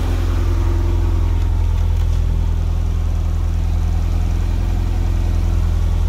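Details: Nissan engine now running on a Link ECU after refitting the stock crank trigger in place of the 36-1; started slightly rich. Loud, even low-pitched idle with a steady beat of about three pulses a second and no knocks or stumbles; idling cleanly.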